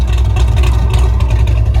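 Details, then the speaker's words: 1974 Corvette V8 after new spark plugs, compression check and full carburetor retune, warm at about 170 degrees: deep, steady, loping idle with even chop and no misses; normal, well-tuned idle. "Oh my gosh, it sounds so good. It is sitting here idling perfect, chopping away."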